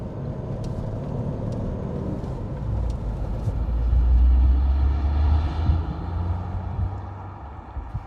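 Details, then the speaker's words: Porsche 928GT after replacing noisy rear wheel bearing, driving: even engine and road rumble swelling and easing with speed, no groan or growl from the rear; new bearing runs quiet. "and um it sounds great yep job well done"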